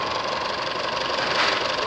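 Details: Isuzu D-Max 2.5 L diesel (4JJ1/4JK1) after a rebuild, left idling since the night before with no oil, coolant or fuel leaks found. Steady, even diesel clatter with a consistent beat and no stray knocks or misses; healthy idle.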